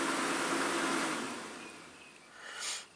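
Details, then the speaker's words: Truck electric cooling fans all commanded on via THINKDIAG 2 scan tool active test, fan relay: smooth airy whoosh with no rubbing, ticking or wobble, then winds down; normal cooling fan operation. "I don't know how many fans this truck's got but I know you can hear that"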